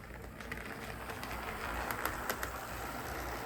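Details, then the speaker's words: Athearn SW1200 model locomotive switcher after cleaning, lubrication and super-glued drive shaft joints, first laps on track: soft even running hum with light regular ticking about four times a second, no grinding; normal running. "Oh, that sounded really nice actually."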